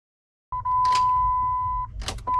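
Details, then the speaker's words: 1999-2004 Jeep Grand Cherokee WJ 4.7L V8, battery at 12.4 V and increasingly hard starting beforehand: two sharp single clicks over a steady dash chime with no cranking; the starter has failed and is to be replaced. "Hear that click? That click is an indicator because up until that point it was getting harder and harder and harder for the Jeep to start."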